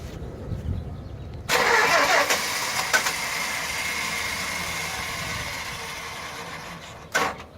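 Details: Green vehicle bought used that would not start: a brief start attempt gives a loud steady churn for several seconds, then dies with no running engine. It is a no-start, and the vehicle was said to need a new starter.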